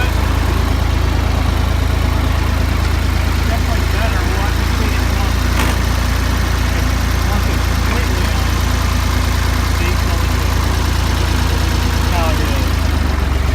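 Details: Ford 2000 diesel tractor running on Diesel Purge to clean bad injectors: steady low idle with an even, unbroken beat and no misses; after the treatment the injectors seem cleared and it runs about normal.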